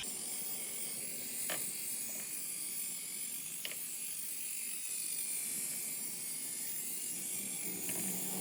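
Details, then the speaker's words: SPTA Mini polisher on Porsche Exclusive carbon wheels: thin, irregular high tapping over the steady whir is the hard plastic cover over a metal cover rattling, normal, causing no damage. "here I'm sure you can hear that tapping says a plastic but it's a very hard plastic and it's over metal cover on it so it's just typically that plastic [Music] cover not doing any [Music] damage"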